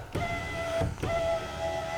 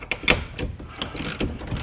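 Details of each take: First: 2011 Mazda CX-9 window after repair of a worm gear fault: smooth even motor whine holding steady pitch through each two-second travel with clean stops; the window motor is healthy. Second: 2011 Mazda CX-9 power window motor: irregular ratcheting clicks and clunks as teeth slip; opened up, two teeth were broken off the gear, which was skipping, and a mating part looked rounded off too.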